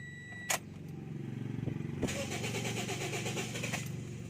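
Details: 2014 Toyota Vios: starter cranks for over a second with uneven rhythm before the engine catches and settles into idle; slow, reluctant hard start, cause not confirmed.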